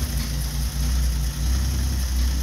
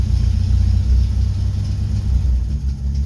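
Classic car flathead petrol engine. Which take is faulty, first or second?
second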